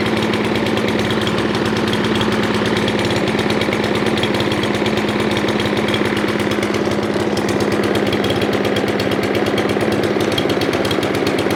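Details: Craftsman M270 mower, 159cc electric-start engine, after a quick carburetor fix on a no-start, running loud and steady at high revs with no misses, surging or hunting; running clean and healthy.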